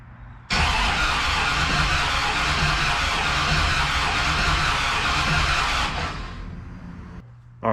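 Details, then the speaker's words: 1969 Plymouth Valiant, 360 Magnum with FiTech EFI and new in-tank fuel pump, owner thinks it was flooded by repeated prime shots: steady fast starter churning about five seconds, engine never catches; test jug shows no fuel delivered, cause unknown. "so turn the car over a few times you can hear the fuel pump turn it on hook the jug up to it and turn the key three times look at that no fuel no idea"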